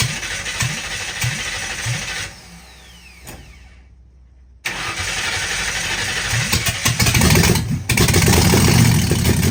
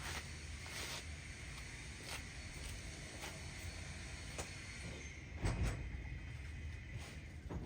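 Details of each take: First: 1960 Ford F100 shop truck V8 with open headers, first start in years on a temporary fuel supply: short crank, brief pause, then it fires and holds a loud, even rumble under its own power, sounding healthy. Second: 1960 Ford F100 shop truck with open headers, first start in years after 10 minutes of cranking: starter churns the engine at a low steady pace but never catches; crank, no start.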